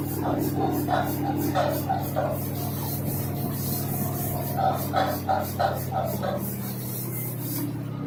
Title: DONT BUY LG washer and dryer 2 in 1 10 5kg 7kg lot's of vibration shaking noise problem